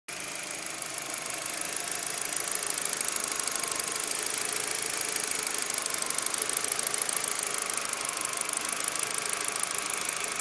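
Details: Audi A4 at idle after a new TB was installed: quick, light ticking riding over a thin, hissy running sound.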